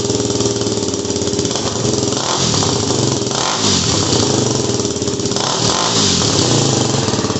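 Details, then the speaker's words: WR250R fitted with a cheap CRF230F muffler, a couple hundred miles on, fiberglass packing blown out and DB killer installed, before repack: single-cylinder blips and idles with harsh, raspy, overly loud bark and crackle; loud exhaust from blown packing. "um yeah this is a real shitty Muffler so I'm looking to repack it"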